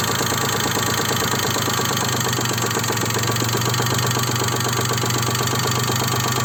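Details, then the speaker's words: Daewoo Matiz 0.8 engine at idle, distributor set to its timing mark: a dull knock about four times a second that never fades and persists across the whole distributor adjustment range; an internal engine knock with an unknown source. "Стук. Мне непонятно, откуда стук. Прислушайтесь. Он вообще никогда не пропадает."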